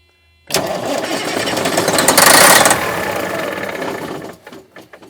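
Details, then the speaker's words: Circa-2000 Freightliner diesel truck that sat six years in a yard: starter cranks steadily about four seconds, never fires, winds down; cranks but no start, something suspected of preventing the injector pump from turning on to deliver fuel. "I believe it's just something about not letting that uh injector pump turn on to let the fuel"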